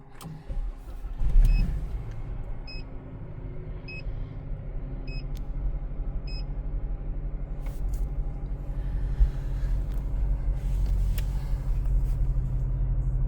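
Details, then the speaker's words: 2013 Chevy Malibu, 98,062 miles, first cold start of the day after cleaning the MAF sensor; low, even rumble at cold idle with a few soft chimes, no hunting or surging, steadier than ever before. "It was up and down, like it's pretty steady. I'm not even gonna lie, that's as steady as it's ever been."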